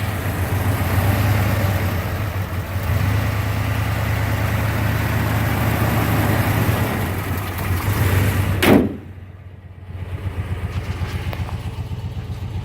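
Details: Restored 1989 Jeep Grand Wagoneer with new fuel injection, belts and hood insulation, heard at the hood: low, quiet, steady idle with even hum, no knocks or squeals; healthy engine.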